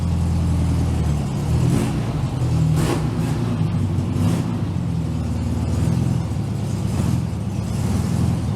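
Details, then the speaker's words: 1967 VW Beetle "Ruby", air-cooled flat-four, after a tune-up with new cap, rotor and plug wires, warming up on a roughly 40° day. A deep, even throb with smooth rev swells and no misses or pops; it runs clean. "we're going to let Ruby warm up a little bit and check her idol all right I'm pretty sure you guys can hear that I think we got Ruby pretty well dialed"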